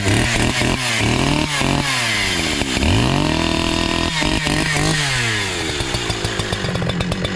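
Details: Brand new NEO-TEC NH872 71cc chainsaw (Husqvarna 372 XP clone), 28 in bar, first firewood cut on big log: revs rise and sag unevenly, struggling to climb back, very slow cutting; owner suspects high-speed carburetor adjustment needs tuning.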